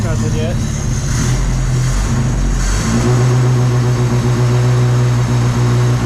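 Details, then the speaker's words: Toyota 22R engine, reinstalled in daily-driver truck with newly built exhaust, started cold: a few free revs then a smooth, steady idle with deep even exhaust note, no knocks or ticks; very quiet, healthy engine. "Nothing. That's the quietest 22R I've ever heard."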